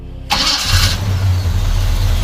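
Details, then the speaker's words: 1976 Chevy C20 Cheyenne Camper Special, 350 V8 with long tube headers and dual exhaust: short crank, catches at once, settles into deep even burble and steady idle; runs really good with lots of power; normal start. "So we'll go ahead and start it up. It actually runs really good. A lot of power."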